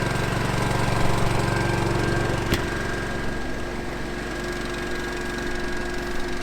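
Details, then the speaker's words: Honda EU2200i dual-fuel inverter generator in truck camper, warmed up, switched to eco mode while charging batteries: steady drone drops in speed and loudness to a lower, smooth, even idle, heard from about 15 feet; healthy. "about 15 feet away from it. It's pretty quiet, and I think the noisiest part of it is actually the cooling fan."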